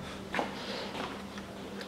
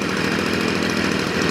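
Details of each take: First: Stihl FS 55 petrol trimmer that starts then stalls: catches in short bursts about once a second, each surge dying instead of reaching full revs, then stalls; fuel or carburetor issue suspected, suspicious-smelling fuel. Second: Stihl FS 55 trimmer that started then died and wouldn't rev, after a carburetor rebuild: a steady, even two-stroke buzz at high speed with no stumbling or surging, running more steadily as it warms up.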